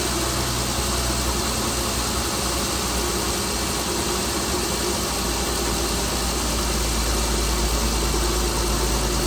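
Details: Chrysler Pentastar 3.6L V6 in a 2017 Dodge Ram 1500 regular cab (labelled 2016), after a start with massive cranking noise; steady idle hum with a faint irregular tapping under it, abnormal idle noise of unknown cause.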